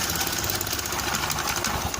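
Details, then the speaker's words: Honda Beat scooter with intermittent electric-starter failure, starter motor commutator found not rotating/making contact; after repair a quick even crank catching into a light steady patter; normal electric start. "Okay, friends, that means we can use the starter again, or it's working."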